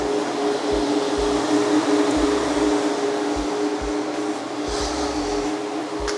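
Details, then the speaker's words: 1967 Pontiac GTO electric radiator fans now working after a bad ground was fixed: steady whooshing roar with constant mid-pitched hum, even and uninterrupted; fans running normally. "well you're never going to guess what it was just not a good ground which I'm not surprised"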